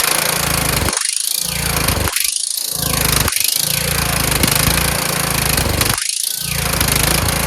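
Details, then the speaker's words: Kohler Courage engine on a tractor, after a cylinder head swap, carburetor replacement and valve lash adjustment, started on choke; the drone keeps sagging and dropping out every second or so. Owner suspects the throttle bracket: the return spring made it want to stop. "has something to do with this throttle bracket. I put a spring here to have it return, but it was causing it to want to stop. Then I took the spring off, and then if you kept it right there, it worked really well."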